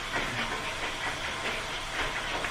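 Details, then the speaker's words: Budget exercise bike used as a Peloton alternative: rhythmic hissing swish pulsing with each flywheel turn, louder as resistance increases, believed to be the foam resistance pad pressing on the wheel; cause unconfirmed. "So the more resistance you add, it's obviously like applying pressure to the wheel. I believe it's like a foam padded little thing that like pushes down on the wheel that adds the resistance to it. So it's, it makes noise."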